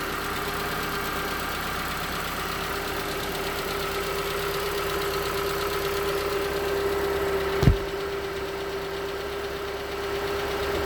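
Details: 2019 Hyundai Tucson 2.0L GDI Nu, 24,000 miles, on Mobil1 5W-20 with under 1,500 miles since the last change. At cold idle a faint, loose, irregular tapping sits under the hum; suspected piston slap. It was slightly better after switching to 5W-30.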